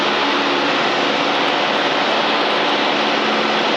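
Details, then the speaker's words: Aircraft on takeoff, pilot in aircraft jacks and standby intercom: a constant loud static hiss in the headset over engine drone at 1800 rpm and above, fading near 1900–2000 rpm; a radio or outside noise is suspected, not confirmed. "there's that noise you hear the noise yeah the static yeah it's tful isn't it yeah it's really loud yeah"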